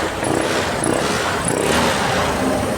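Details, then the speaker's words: Honda Click 125 scooter that was hard starting and misfiring, after replacing the faulty spark plug and spark plug cap: it starts on one click and settles into an even, steady idle with no stumbling. Normal idle. "o one click start agad. So ang naging possible cause na naging problema niya mga tropa ay spark plug at saka itong spark plug cap niya."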